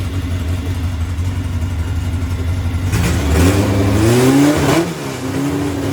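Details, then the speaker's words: 1641cc engine with Weber IDF carburetors after rejetting the air compensator from 200 down to 165 (115 main gas jets), now accelerating as it should: steady low idle, clean crisp rev rise and settle without stumbling; healthy acceleration. "now now they're accelerating like it's like it should so what i did was it had too much hair had too much hair on the compensator"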